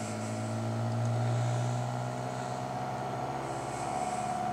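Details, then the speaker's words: Homemade Bedini SSG motor on a cutting-board base, power battery about 13 V, neon protection circuit fitted, hand-spun to start: steady low hum with a fast even beat around four per second, mostly the board vibrating; motor running normally. "the The Cutting Board actually vibrates more than anything else does that's what you're [Music] hearing it's beating up pretty [Music] good"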